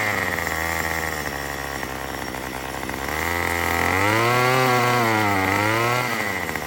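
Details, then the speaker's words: Murray M2500 two-stroke trimmer after new carburetor kit and fuel lines: buzz sags in pitch, picks up, then drops off instead of holding revs; still bogs, owner suspects mixture adjustment needed; engine bogging. "So guys, that was very amazing, but it's still bogged."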